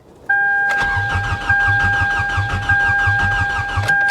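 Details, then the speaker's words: C4 Corvette at salvage auction, battery boosted: strong even cranking for about four seconds but engine never fires; crank no start, believed nothing major. "yeah i mean she sounds like she cranks pretty good though so whatever is wrong with it as far as why it won't start i don't think it's anything major"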